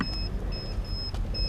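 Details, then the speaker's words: Hoverboard (brand among IO Hawk, star-wheel, Mercedes-logo and 10-inch models compared) beeping repeatedly about three times a second over a low rumble during a line test with rider on; suspected gyroscope fault, not confirmed. "with the gyroscopes I can hear it beeping so um yeah this one's not behaving well at all"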